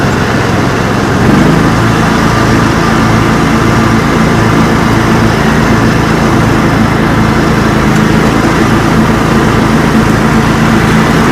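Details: Kawasaki V-twin (FD590V family) on John Deere mower after replacing weak-spark ignition coil, plug caps and NGK BMR6A plugs: steady, even running with smooth regular beat, no stumbles or misses; healthy engine after repair.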